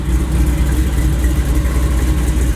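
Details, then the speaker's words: Supercharged Cutlass V8 with quiet mufflers: deep, even, muted burble with no misses or ticks; engine and exhaust sound healthy. "just sounds so mellow, I'm telling you."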